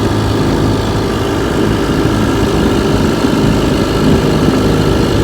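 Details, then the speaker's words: 1958 Johnson 3 HP JW14 two-stroke outboard, restored, warm, pushing a 14-ft 1958 Feathercraft about 5 mph: a steady, even buzz with no misses or surging, running smoothly and healthy. "like i said she's a beauty she pushes my 14-foot 1958 feathercraft about five miles an hour which is good for three horsepower"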